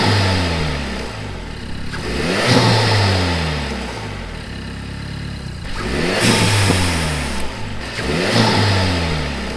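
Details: Renault Megane RS Trophy turbo engine revved after refitting the Forge Motorsport smart spacer and OEM recirc valve, which were suspected of a boost leak found by smoke test. Repeated clean rises and falls in pitch with crisp response and no hiss or flutter; sounds healthy.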